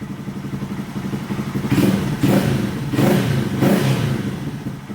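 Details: 2022+ Honda Grom small single just after DHM S1 camshaft and DHM flashed ECU install, first start: fires up and takes a few crisp throttle blips, clean and even, no knocks or rattles; normal running.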